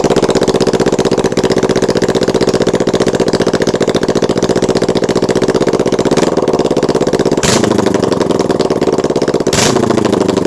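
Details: Kawasaki Ninja 650 parallel twin idles with an uneven, stumbling pulse; when letting off the throttle, and sometimes randomly, it runs on one cylinder, a misfire on one cylinder.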